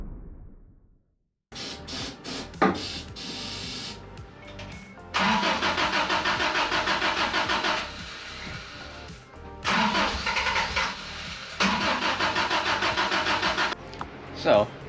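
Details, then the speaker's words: 1990 Isuzu pickup after lost-cylinder repair, spark plugs disconnected to prime oil: repeated even starter cranking that never runs. The new mechanical fuel pump delivered no fuel; refitting the old pump made it fire up easily. "through many hours of pain and struggling, my new mechanical fuel pump would not pump fuel. I tried literally everything."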